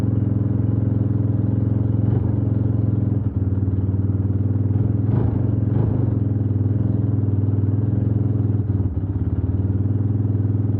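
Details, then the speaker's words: Suzuki DR350 single that hadn't run in over ten years, just started (some smoke from dirt and grime). Steady thumping idle with only a couple of light clatters, no misses: normal idle. "But boy, she started up pretty good."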